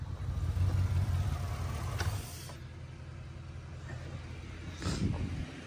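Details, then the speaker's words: Truck fitted by its sellers with a swapped engine from a 2003, smoking heavily with oil around the exhaust manifold: low, lumpy idle stumbling roughly three times a second; bad misfire, cause unconfirmed. "you can hear it no you can hear the Miss bad"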